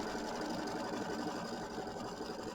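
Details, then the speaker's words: Embroidery machine quilting Kimberbell mini quilt block: fast even stitching patter, no odd clicks or knocks; earlier clicking noise cured by changing the needle. "Okay, and I did change my needle, so my machine's not clicking now. It was making a little clicking noise, so I figured my needle needed to be changed."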